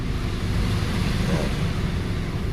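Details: A Nissan Almera that kept misfiring after a spark plug change is tested at idle in reverse with the AC on to add load. A low, even hum with no stumbles or jerks for about a minute shows it is now idling smoothly; the plug was the fault.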